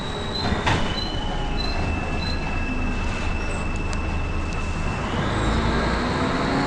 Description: First Manchester Volvo B10BLE, with a strange, high pitched noise.